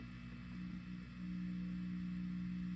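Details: Fender Blues Jr tube guitar amp idling after a ground loop was fixed and noisy V1 and V3 tubes were replaced gives a faint, low, steady murmur with no hum. The noise floor is quiet and normal; the technician suspects slight ripple remaining on the filter caps.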